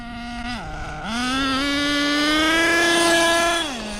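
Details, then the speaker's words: HPI Savage X4.6 nitro RC truck with optional 3-speed transmission at full throttle. Engine screams to one high steady note with no shift drops; owner thinks it's in 3rd, engine running great: not shifting. "Motor-wise, it's running great. Definitely no gear shifting at all."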